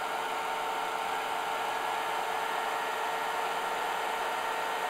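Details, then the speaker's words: IBM DPS-2000BD server power supply at 14.6 V feeding several battery chargers, total 120-130 A: steady fan rush with faint constant whine, no hiss from the supply under full load, normal operation, not even lukewarm. "so now we have additional fans speeding up it's getting a little loud in here but there's no hissing sound from power supply"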